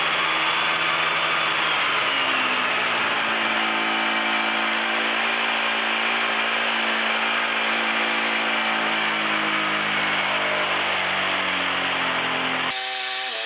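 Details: Free Yamaha Phazer II two-stroke snowmobile, carbs reset to factory settings and bad gas replaced with fresh. Rough, buzzy running that sags and drops in pitch when throttle is applied. It bogs under throttle; the owner later suspects it is running on one cylinder and needs plugs.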